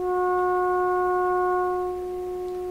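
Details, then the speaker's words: Florida AM/FM/SW tube radio being troubleshot for distortion, test tone with the volume turned up: a tone near 370 Hz has a harsh, brassy edge. The scope shows a sharpening waveform, and high-order harmonics mean the audio distorts at high volume. "that's going to be to to to to produce that sharpness requires a lot of high high order harmonics and that's what we're hearing so you notice this is really quite distorted to begin with it doesn't have that nice pure tone to it in my ear anyway"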